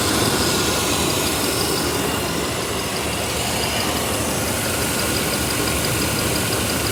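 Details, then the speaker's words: 1993 Chevy 1500 V8 started after sitting 16 years, on a new battery with mystery oil added; steady, even idle with a smooth low rumble, no knocks or misses, smoking from the mystery oil, no leaks seen. "Power in sounds good. It's smoking from all that mystery oil that I put in it."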